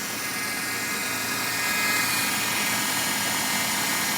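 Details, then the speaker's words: Fiat Tipo at idle, loud steady high whirr from the engine bay with a faint rapid pulse; owner suspects steering or engine belt, mechanics blame power steering but none fixed it; car also shuts off unexpectedly. "Fala galera eu queria perguntar para vocês hoje é sobre esse barulho aqui ele vem dessa área Por que que ele tá fazendo esse barulho é da correia de direção é da correia do motor"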